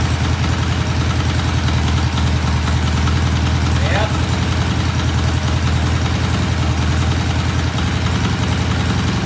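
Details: 1968 BSA twin motorcycle, cold start after new rear shocks were fitted: loud, steady, slightly lumpy idle thump with even firing and no knocks, ticks or misses; idling healthily.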